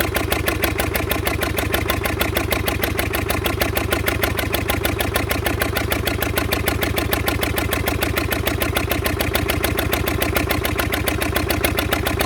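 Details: Fordson Major tractor diesel, previously seized wreck, running on a temporary crank start with a jury-rigged direct fuel line bypassing the filters: loud, even hard clatter at fast idle. It is expected to spit oil, and the owner hopes stuck rings will free up with heat.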